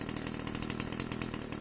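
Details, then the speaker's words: Pole saw small two-stroke after replacing a hard-starting carburetor with a new bolt-on aftermarket carb: quick even buzz at steady speed, no stumbling or surging; now runs smoothly after the carb swap. "so yeah runs great now I'm going to go try it out"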